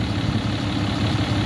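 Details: 2012 Ram 3500 6.7 Cummins diesel at idle after replacing a water pump with a loose, rough pulley and a broken belt: steady, even low rumble, no knocks, squeals or belt chirp, no leaks, running cool.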